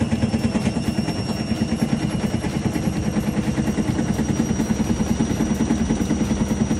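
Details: IFB Senorita/Elena front-load washing machine during spin: fast, loud steady clatter about three knocks a second, loose drum knocking; bearing or spider suspected, bearing, oil seal and spider replaced as the fix.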